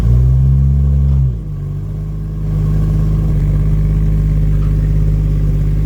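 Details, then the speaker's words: 1989 Jaguar XJS V12 coupe after fitting straight-through stainless pipes replacing rear mid silencers and new transmission mount: revs fall away to a smooth steady low drone, no knocking, ticking or exhaust leak; normal idle. "Uh it doesn't sound like it's knocking or um or leaking at all as well, so that's really good."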